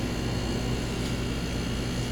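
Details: Midea air conditioner outdoor condenser unit running: loud steady roar with heavy low drone and no rhythm; abnormally noisy, cause not yet clear.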